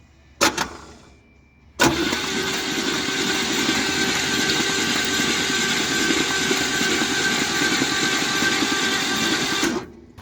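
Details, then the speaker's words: Long-idle 1962 Buick Skylark, factory 215 all-aluminum V8, cranked on the key with plugs out and cylinders full of penetrating oil; steady, even whirr of about three turns a second with no binds. Engine turns over freely. "They're full of penetrating oil right now. I'm going to pull those out, run the key, make a horrible mess, and throw the plugs back in it, throw the carb on it, and see what happens here."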